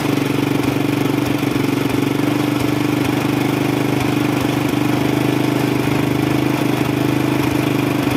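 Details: Single-cylinder motorcycle after carburetor cleaning and service, previously hard-starting with black plugs: smooth even idle with steady low hum, no hunting or stumbling; normal idle, though starting still slow from weak CDI ignition voltage.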